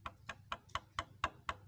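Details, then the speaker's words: Yamaha Vega ZR motorcycle engine opened with head and magneto off, connecting rod pulled forward and tapped by hand: crisp light metallic taps about four a second, showing a worn big end with excess play, cause of rough, noisy running. "Nah, kedengaran teman-teman kan ada suara truk. Nah, itu berarti stang sernya udah kena juga."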